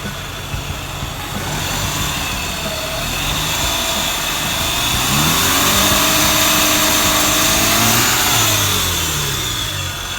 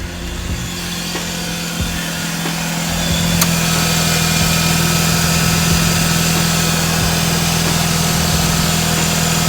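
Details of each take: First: 131k-mile Mazda RX-8 R3 rotary, revved to about mid-3000s after the intake was reseated and the MAF secured. It started easier, and the rev climbs smoothly and settles with no hiss or vacuum noise. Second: 131k-mile Mazda RX-8 R3 rotary at idle with a steady buzzing beat and an airy hiss on top. The owner is unsure whether it is a vacuum leak and notes odd starting that could be ignition or a worn engine. He is considering a silicone aftermarket replacement.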